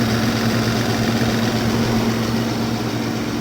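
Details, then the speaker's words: 1995 Toyota T100 junkyard engine after external rebuild (head gaskets, water pump, oil pump, timing), block rusty and deck warped, first start: even, steady idle with a low hum, no knocks or misses, though slight white smoke follows. "I see a lot of junk coming up from the block. Engine is idling smooth."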